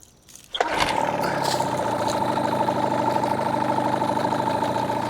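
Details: New Hangkai 18hp two-stroke outboard during its 10-minute fast-idle break-in, on fuel with break-in oil doubled to 32 oz: catches after a moment, then holds an even, steady fast idle with no misses or knocks. Normal fast idle.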